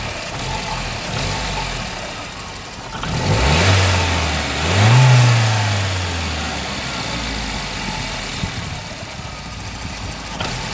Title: Volvo 940 B230FK 0.8-1.0BAR rough idle